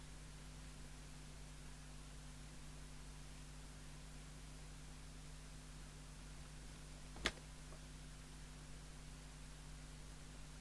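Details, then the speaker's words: 1981 Harvard 420M CB27/81 UK FM CB radio (Cybernet 134 chassis) at full volume. A flat, constant hiss with faint mains hum and a click, because the squelch was modified so it never mutes. "so it now hisses all the time but doesn't taste as much as if this quote wasn't there"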